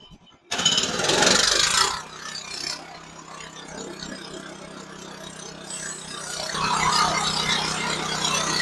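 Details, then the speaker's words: Sawmill band blade cutting a log: a sudden harsh bright rasp for over a second, then steady cutting resumes; the blade hit something small buried in the log, after earlier hitting metal in the same log. "Damn it, there it was. Did y'all hear that? I hope you did. I hit something else."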